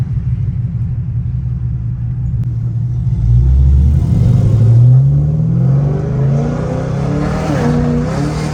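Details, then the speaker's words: Pontiac G8 GT V8 automatic, hard acceleration: pulls hard, then revs briefly climb and wander during the upshift before settling; transmission shift flare the owner says worsened from hard driving; another transmission already bought. "What y'all was just hearing, that's that flare that I have, and it got worse, of course, because of how I drive."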